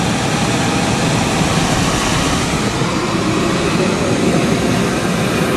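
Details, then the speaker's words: Beckett oil burner, two-pipe pump system with Carlin Pro-Max safety control: steady even roar of fan and established flame with no surging; the transformer has just dropped out after flame stabilized, flame proven, normal operation. "you can hear it yeah hear that that's a Transformer just dropped out 0 seconds flame"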